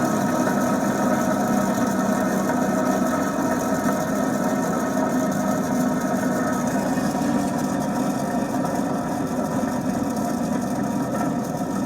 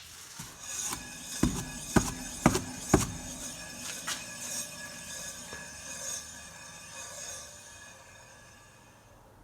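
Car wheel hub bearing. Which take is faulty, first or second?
first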